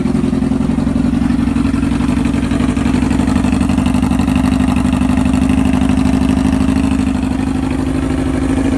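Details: Honda CBR600 F4i after fixing no-spark/no-fuel fault by replacing ECU, wiring harness and ignition switch zener diode; fuel pump primes, then steady even warm-up idle with smooth rapid pulse and no ticks, knocks or misses.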